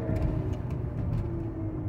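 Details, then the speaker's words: 2013 BMW X3 driving straight at steady 45 mph, microphones on both rear wheels: steady low groaning drone, far louder on passenger-side rear, identifying a worn right rear wheel bearing, not the front as customer was told. "off the bat the passenger side is way way way louder more amplitude"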